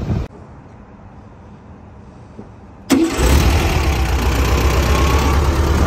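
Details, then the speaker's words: VW Beetle (vocho), engine just repaired, had burned coils and many faults, after fitting missing transmission-to-engine ground cable: quick crank, catches straight away, strong even idle with no stumbling; problem fixed. "Ahí está ya el cable puesto de tierra, la transmisión al motor. Ya no hay bronca."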